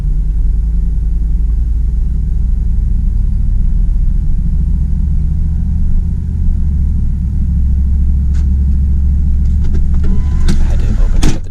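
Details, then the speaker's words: 2004 Dodge Dakota SLT Club Cab, 4.7L V8, 117k miles, new air filter and oil: low-speed cruising in a park, temperature and oil pressure normal; deep, smooth, steady drone with no knocks, misfires or whine; normal running. "here I'm just cruising around a local park low speeds as you can see the temperature holds well the oil pressure everything is in at normal levels driving a little space is just fine"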